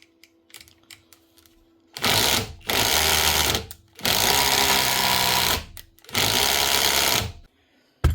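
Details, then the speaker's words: Metabo SSD 18 LTX 200 BL 18V impact driver, an older unit that may earlier have had a new switch, fired unloaded: four bursts of fast rattling hammer blows. It is impacting with no load, with a rusted anvil; the top needle bearing is suspected to have gone in the gearbox. "When we first switched it on, she was impacting with no load. So I'd say this here needle bearing up the top might be gone."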